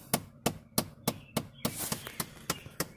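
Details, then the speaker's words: 2003 Chevy Cavalier, inside the cabin with the AC on: sharp, steady clicking from behind the dash, about three clicks a second, from the blower/blend door actuator with a stripped plastic gear. "all right guys so we're inside the car here and you can hear the clicking listen okay i hope you guys can hear that"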